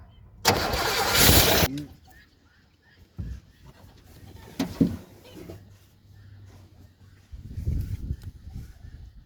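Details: 1977 Chevrolet Malibu Classic, odometer 102,000 miles (likely far more): a starter burst cranks about a second without catching, then silence; cranks but won't fire, cause not confirmed.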